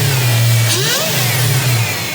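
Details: Supercharged 2003 Infiniti Q45 Premium V8, started after sitting a while, blipped from the manual throttle body: sharp rev with rising blower whine over the exhaust, settling back; strong, clean; belt tensioner seen jumping.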